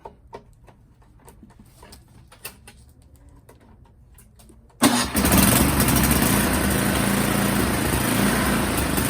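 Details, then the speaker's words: Yard Machine snowblower with Tecumseh 8 hp engine, after a new electric starter gear replaced one with broken teeth jammed against flywheel, catches near five seconds and runs steadily; starter engages fine, bad fuel suspected. "all right so we know it starts sounds like it has some bad fuel in there"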